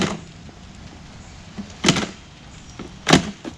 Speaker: the kickstand on this bike it comes loose constantly and it's loud I'm gonna let me put it up for you so you can hear how loud this thing is